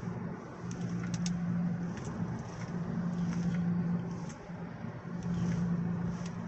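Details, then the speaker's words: Audi S3 cruising at 50 mph: low steady hum rising and fading over road noise, louder turning right, quieter turning left; owner suspects worn driver's front left wheel bearing. "cruising it 50 miles an hour and it's like a humming noise if I if I start turning if I turn right it'll be louder if I turn left it'll be quiet"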